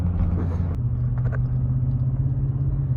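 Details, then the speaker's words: Ranch truck with a newly installed exhaust system; a steady, deep, mellow rumble with no rasp, rattle or drone, and no leaks are heard. Normal exhaust note. "It's like a mellow, throaty, deep, a mellow, deep sound. It's like a deep, mellow sound. I like it."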